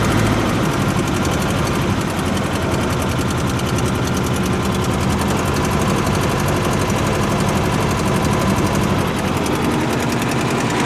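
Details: 1955 Ford Fairlane Victoria, off the road since 1992, just started with starting fluid: loud, lumpy low idle with uneven pulses and a rough shake; cause not yet known.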